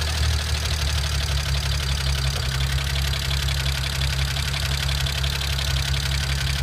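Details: BMW N54 with JB4 (updated to V28) plus E85 flash, downpipes, intercooler, charge pipe, meth kit, running lean on both banks: deep idle with an uneven stumbling pulse and hiccups. Lean misfire.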